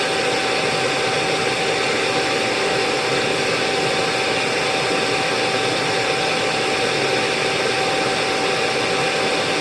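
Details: Early Rainbow E2 1-Speed vacuum with a new filter, drawing 10.5 A at 121 V and moving 106.8 CFM: loud, steady rushing roar with a constant whine and no flutter or scraping, so the motor runs healthy.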